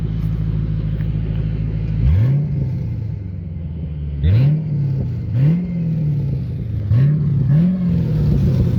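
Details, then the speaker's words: 1997 Ford Crown Victoria with PI intake and temporary exhaust of clamped 2.25in pipes, X-pipe, and two 45s dumping behind front seats: deep booming rumble swelling with throttle blips into heavy drone; exhaust drones badly, especially around 30 mph. "It just drones super bad. Especially when you're driving it at like 30 miles an hour."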